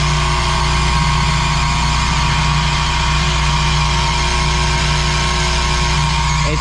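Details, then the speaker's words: Commercial kitchen fresh-air intake/exhaust fan: the motor starter contactor's plunger shakes, giving a loud, steady electrical buzz with low mains hum; a bad motor starter that needs replacing, left running for now. "so the motor starter I was buzzing like crazy and everything sounds so bad"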